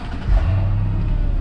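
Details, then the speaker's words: Mercedes E55 AMG Kompressor estate, supercharged V8, 55,000 miles, fairly stock, engine not cold: short crank catches cleanly into a deep, even V8 rumble with no pops or misfires; normal warm start-up. "so it's fairly stock um as you can see there's no kind of uh raspy fake pops or bands when you start the car just kind of starts and whatever the noise of the engine makes that's what you hear"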